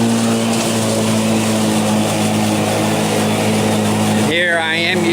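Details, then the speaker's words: Black & Decker battery mower, third year, on a newer replacement battery in self-propelled mode, in very tall grass: steady hum holding pitch with no sag or bogging; new battery makes a huge difference, healthy under load. "self-propelled mode and it's not slowing down at all it's just barely making it this newer battery definitely is making a huge huge difference"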